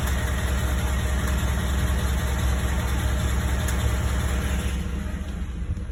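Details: Ford Coyote 5.0 V8 at idle: deep, steady rumble with a faint rhythmic pulsing; owner wonders whether it is a bad bearing or something else, cause unclear.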